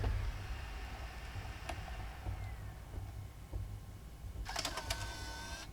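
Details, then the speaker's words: Restored Nintendo Wii that had arrived badly damaged, now in a custom shell: short whirring motor run with light clicks as the disc slides out smoothly; disc drive fully functional, ejecting normally. "Love that blue light around it when the disc comes out. We got a fully functional disc drive now."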